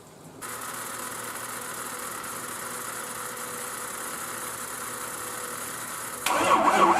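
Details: Turbo truck unstarted since November 2016, after a hot no-start repair, cranked on both batteries: steady starter churning about six seconds that never catches, then a louder burst; cranks but won't start.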